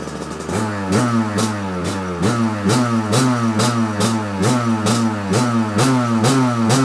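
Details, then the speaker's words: 1993 Kawasaki KDX200 two-stroke, first start after new piston/top end replacing presumed original piston, choke on: crisp crackle settling to steady idle with quick blips up and down, pulling cleanly, healthy. "choke on gas on we're all buttoned up let's start it up right let's see if it it starts right up"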